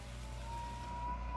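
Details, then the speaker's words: Pottery wheel with a hand pressing very hard on dry clay while centering: low motor drone with a thin whine slowly rising and growing louder as the wheel strains under the weight and friction. "You probably even start to be able to hear the wheel strain under the weight."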